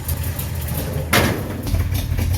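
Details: 1953 Chevy 3800 truck, fully rebuilt, after cleaning spark plugs and suspected cooked coil or points: deep, low rumble at steady idle with one brief clatter; runs and idles fine, possibly too much choke.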